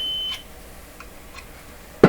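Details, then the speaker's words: Known working tweeter, fed a tone from an audio signal generator on the bench: a clean, steady, very high-pitched tone with no rattle or buzz; the tweeter reproduces the signal properly, normal output. "Yeah, I can hear it. Very, very high. Yeah, this is a pretty good tweeter right here. Okay, we have sound."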